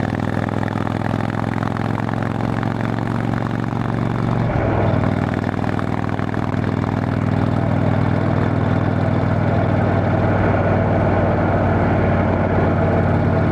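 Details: Motorcycle riding home after failed exhaust gasket replaced, bike still needing a tune: smooth steady exhaust drone with one speed change, no ticking or puffing; exhaust leak fixed.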